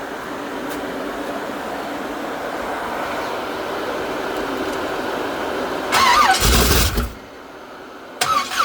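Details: Old S-10 work truck being built for burnouts, with makeshift wiring: uneven, stumbling idle with irregular beat and rev blip; owner later suspects destroyed cam.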